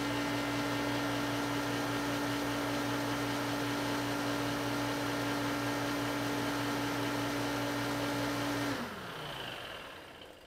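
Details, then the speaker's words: Dayton 3VE52D 210,000 BTU kerosene torpedo heater, after air pump cleaning and line blowout: steady motor and fan hum, fixed tone, no burner roar, then winds down; owner believes backed-out pressure adjuster left pump pressure too low to light. "well fail so I think I know what happened I adjusted this back out because it looks like it was pushed all the way in so it was I believe at the max pressure"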